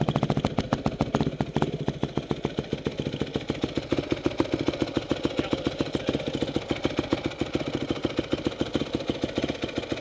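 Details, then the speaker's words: Honda CRF250R first start after rebuild (reconditioned head, new valve components, piston kit): single-cylinder idle with an even beat of about 3.5 pulses a second and light mechanical clatter; sounds normal. Idle should be 1,800 rpm. "sound pretty normal all right kill it"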